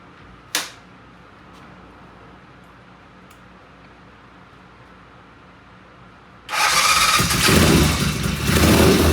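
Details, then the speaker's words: Vintage British motorcycle "Fred", a previous runner, first start on the lift after repairs with the primary cover left open and an oil pressure gauge fitted: silence, then it catches and settles into an even, lively idle with no knocks or misses, healthy. "I tell you what, that sounds good."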